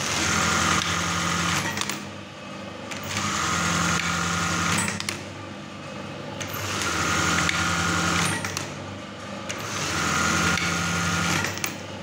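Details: Brother 814 buttonhole machine, serviced and oiled, running fast and empty without fabric, set with gears 50 and 26: even, fast stitching whir in regular cycles about every 2.5 seconds with clean stops and a light clack; normal operation.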